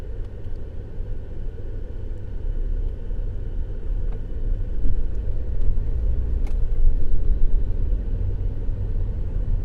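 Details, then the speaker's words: 2020 Ford F-150 3.5 L EcoBoost that was running rough, after new coils, coil boots and spark plugs. A low, even rumble that builds steadily with no misses or sputter, and power is back. Normal running after repair. "Yeah, I can tell the difference. I get up in your nose instead of like sputtering something. Yeah. Feels pretty good to me."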